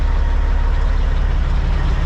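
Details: Caterpillar-powered semi truck with an intermittent no-start, with the dash apart: deep, steady diesel rumble with an even beat and no knocks or misses; the engine idles smoothly and healthy.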